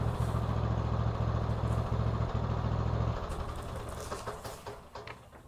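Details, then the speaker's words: 2014 Troy-Bilt Bronco 13WX78KS011 with Kohler 17 HP, after fitting a new Hipa carburetor and gaskets in place of one with a failed fuel shut-off solenoid; smooth, regular low idle thump, no hunting or surging; normal idle. "Awesome. Wow, that engine sounds good. I just have to get that throttle cable adjusted. Crank's good though."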